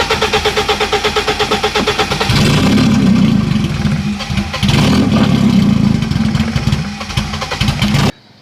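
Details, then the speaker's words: 1991 BMW 318i E30 with open headers: starter cranks rhythmically, engine catches loud and rough while the whirring starter stays engaged and keeps grinding; owner thinks the ignition switch is faulty. "And so we need to fix what I think is the ignition switch. So let me go ahead and try to start it. And it will just keep doing that until the battery is dead."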